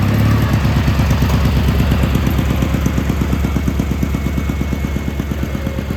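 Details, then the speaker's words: Gravely G-16 tractor, roughly late-80s/90s, not run in a few years, on its own fuel, driving: steady even low thump about three firings a second, no knock or miss; runs pretty good, smokes a little. "Yeah, so it runs and drives and everything. Runs pretty good."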